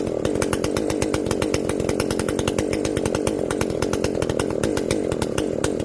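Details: Echo CS-590 chainsaw after carb limiter removal and opened-up exhaust, high jet turned up a full turn plus low jet richened: high, crisp, even two-stroke buzz holding steady through the cut, no bogging or four-stroking; well tuned, not running hot.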